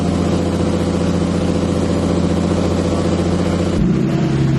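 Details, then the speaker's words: Turbo M50 BMW E30 idling after new crank sensor installed: uneven, lumpy idle, engine beat wandering, sudden dip; owner unsure why it surges, needs tune. Rough running, surging. "This thing does not sound happy. I don't know why it's surging so bad."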